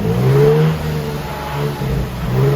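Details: Nissan 350Z stock VQ V6 after power steering bleeding: clean, smooth free-rev blips climbing and dropping evenly with no misses, knocks or rattles; healthy.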